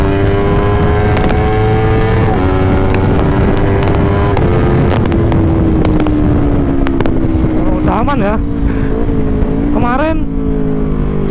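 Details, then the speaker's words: Honda CBR 250RR that previously stuttered and would not rev past about 6,000–9,000 rpm, ridden at full throttle on a ring road after the fix: pulls cleanly through the revs with crisp shifts, idle also fine. Normal high-rpm running. "jadi dulu benar-benar engak mau digaspol stasioner juga udah aman ya"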